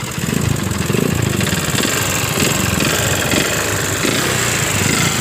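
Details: Yamaha Jupiter MX found with oil empty and radiator dry, smoking heavily from the exhaust: small engine idles with a rough, uneven rattle and light ticking; worn water pump bearing; camshaft/rocker area suspected, possibly con rod, unconfirmed.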